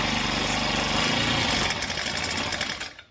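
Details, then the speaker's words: Chinese Amazon mini bike on first start after oil added and oil put in cylinder, choke on: small engine buzzes rattly for two seconds then stalls; owner thinks it needs warm-up and choke turned off. "Oh, it died on me. All right. Let it run for a minute, warm up before we mess with it. Probably need to turn the choke off too."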